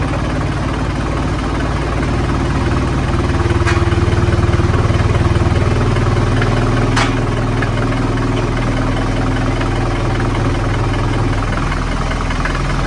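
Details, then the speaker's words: Mercedes-Benz W123 240D diesel under rusty-body restoration, started at the beginning of the workday: steady, even, fairly quiet low diesel clatter at idle with no misses or knocks, a normal healthy idle. "Thought before I filmed anything else today, I'll start it up. You guys can hear it run, hear how quiet it is."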